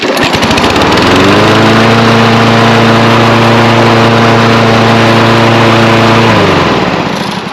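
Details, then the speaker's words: Kohler XT675 on Toro Recycler mower after repair (governor fixed, blade sharpened, new self-propel belt, cable adjusted, new oil): steady even single-cylinder drone at constant speed, no hunting or surging, smooth run-down; no longer over-revving, runs healthy. "and that's a lot better well that's going to finish up our Coler xt675 that's mounted on the Toro recycler mower that everything turned out good"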